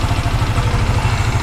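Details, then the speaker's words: Yamaha Mio MXi 125 scooter idling after rebuild, which had been smoky and noisy from running low on oil; now a steady low, even pulse, quiet, without knocks or rattles; airbox not yet fitted. "Okay na siya tahimik na siya"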